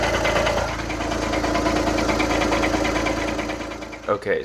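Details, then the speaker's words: Idling engine with a fast loose metallic rattle from a worn dual mass flywheel, not the transmission; the rattle goes away when put in drive or reverse because the transmission tensions the flywheel. "the way that I figured out how you diagnose your dual mess flywheel is if you hear that rattling noise and then you put it in drive or reverse, it will go away."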